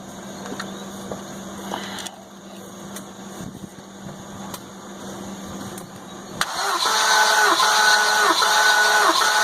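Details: Compression test on the 550 engine, plugs out, rechecked after a noise at first start. Cylinder where the valve once hit the piston reads 170 psi. Starter cranks with an even, steady beat, about four per second. Normal, healthy compression.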